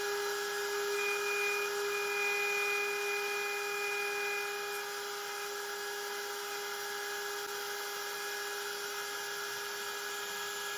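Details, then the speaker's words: Genmitsu 3030 PROVer Max fitted with a 1.25HP Makita router, running the same aluminum G-code with up to 1mm progressive step-down: steady high-pitched whine holding an even pitch with no chatter. It cuts smoothly, much better than the stock 300W spindle. "I think the result is much better all of them look smooth even the last one with the progressive 1 m maximum step down"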